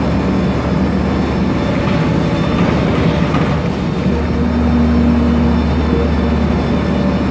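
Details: Onboard a MAN Lion's Classic CNG city bus, MAN E2876 LUH03 EEV turbo engine, Voith DIWA 864.3 four-speed automatic, accelerating: low drone builds with speed as a humming tone rises over the engine; noisy Voith gearbox.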